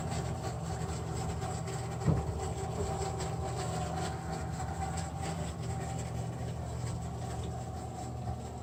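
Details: American Standard Freedom 90 single-stage natural gas furnace: a steady low electric blower hum with a faint water-trickling sound. An abnormal furnace noise, cause not found.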